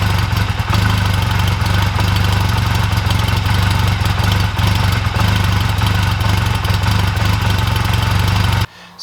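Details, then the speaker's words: 2004 Honda Rebel CMX250C twin at idle just after fitting new NGK CR6HSA spark plugs gapped 0.024-0.028 in: lumpy, uneven beat instead of steady putter; new plugs cause rough idle, ran evenly again with old plugs. "that idle seems a bit rough I don't remember it running like that I'm going to put the old spark plugs back in and see"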